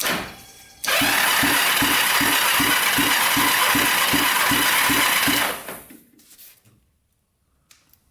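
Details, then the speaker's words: 1980s Kawasaki Mule 450cc twin after top-end rebuild and valve adjustment, second cylinder compression test: steady even cranking about four compression strokes a second; cylinder reads only 55, low (other cylinder about 90), rings to be checked with oil. "wouldn't say that 55 huh that's not good yeah that one's staying at 55."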